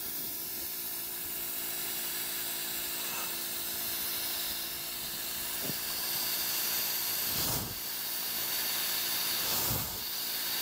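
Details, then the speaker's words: Bench air-pressure test of the low band servo in a home-overhauled 1964 Powerglide automatic transmission for a 1964 Chevy Impala SS327, fed by a homemade air pump. A steady airy hiss with solid thumps as the servo strokes and holds; it works perfectly fine. "that works perfectly fine suppose you let this thing build up a bit of pressure and then we'll try the hi clutch"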